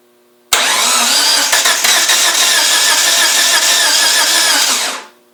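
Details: 1G DSM: steady high-pitched starter whirring for about four and a half seconds with no catch or firing; cranks but won't start.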